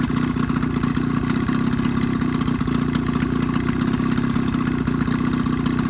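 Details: 1985 Evinrude 20 hp two-stroke outboard modified to 25 hp, after a full service and a fix for its lean coughing sneeze. Steady, even putter at idle with no misses, surges or knocks. Normal idle.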